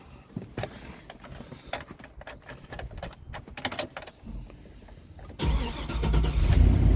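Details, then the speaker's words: 2007 Chevy 3500 Express van after new Melling high-volume oil pump, primed: starter cranks a few seconds, engine catches into strong even idle with no knocking; good oil pressure. "there she goes we got good oil pressure again"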